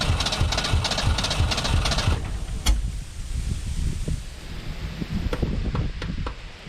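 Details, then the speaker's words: 1991 Ford Ranger STX abandoned in woods for years, bad orange fuel, float broken off sending unit: starter churns with a weak low pulse, stumbles without catching; battery dying, cranks but won't start, cause unconfirmed. "my battery's plumb more down to the point where it don't want to crank now"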